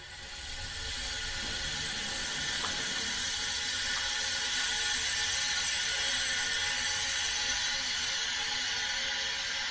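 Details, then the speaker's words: 2006 Subaru Impreza WRX STI EJ25 with lack of power, engine out for teardown; leak-down test with no engine running gives a steady loud hiss, consistent with loss past the piston rings. "17 again coming through the piston rings this is number one"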